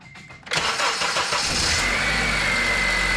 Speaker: So positive, negative, and then we're going to fire it up and throw the multimeter to it and make sure she's charging properly.